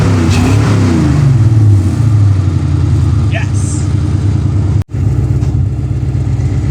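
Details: Ford Fox body Mustang first start after new Motorcraft starter solenoid: strong, steady low engine rumble with an even beat, no misses or knocks; normal running.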